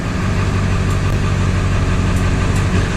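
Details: 2000 Ford F-350 7.3 diesel after PCM removal and tuner chip repair, on stock tune, no check engine light: deep, steady diesel clatter at even idle with no misses or knocks; normal start and idle.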